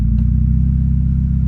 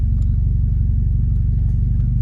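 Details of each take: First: Automatic transmission that previously banged into gear, after repairing the park/neutral safety switch bracket; idling with brake held, shifted into reverse: steady low engine rumble, no clunk or bang; gear engages smoothly. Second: Automatic transmission shifted from park into reverse with brake held: deep heavy thump and shudder that shakes the car, low steady rumble; harsh engagement, possibly from a faulty neutral safety switch or possibly the transmission.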